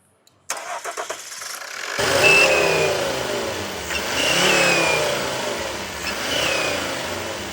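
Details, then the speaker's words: Volvo turbo engine cranks, starts, then thin high whistle rising and falling with each rev from under turbo or exhaust manifold; EGR pipe strongly suspected burnt through, unconfirmed. "свист десь з-під турбіни або з випускного колектора."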